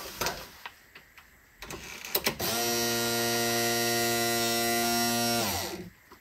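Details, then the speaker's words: Lotus Elise repaired fuel pump refitted in its tank holder, ignition switched on to prime, expected to run 6–7 seconds: a few clicks then a steady constant-pitch electric whine that stops; normal priming. "je vais mettre le contact et logiquement elle devrait se mettre à tourner pendant 6 7 secondes"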